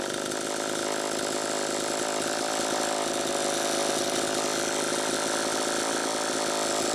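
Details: Homelite Super EZ chainsaw after the carburetor was fixed and the high needle reset from about four turns out to one; high thin screaming note holds too high, tuning changing as it warmed, lean. Air drawn past crank seal suspected, almost certainly flywheel side.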